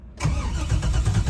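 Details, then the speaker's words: Car with Holley Terminator X EFI, battery dropping to about 12.3 V while cranking: heavy low starter churning in steady pulses, engine does not catch; weak battery suspected, not confirmed. "That might not be enough to start it. So, let's go ahead and charge the battery a little bit more and then we'll give it a shot."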